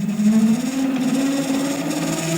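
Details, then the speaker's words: 7x14 two-speed mini lathe with the original cover refitted over a new thicker belt, steady motor hum with a rough buzzing gear rattle; gears chatter, gears already known to be bad inside. "All we did was screw on the original cover with the new thicker belt in place. That chatters the gears."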